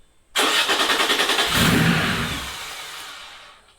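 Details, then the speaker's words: Air-cooled Porsche 911 3.0SC newly converted to EFI and turbo with an original 3.2 throttle body, first crank: catches with rapid firing pulses, revs briefly, then sags and dies within three seconds; owner suspects the idle valve; stalls after start. "Good start. Wonder why I didn't keep running."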